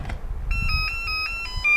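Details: Mini charger for Makita 18V batteries (3 Ah pack) after changing its alert sound by removing and reinserting the battery: clear high electronic tone held over a second with short breaks, long-beep charge-complete alert; normal.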